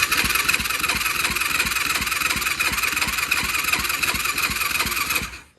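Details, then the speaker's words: 2004 Yamaha YFZ450 quad showing zero compression on gauge, starts only on brake cleaner, fuel confirmed flowing: slow, uneven starter cranking about three pulses a second with hissing chatter, never fires; starter one-way bearing (starter clutch) said to be going bad. "it does sound rough when it's starting over the uh the one-way bearing for the starter starter clutch whatever you want to call it it's on way out"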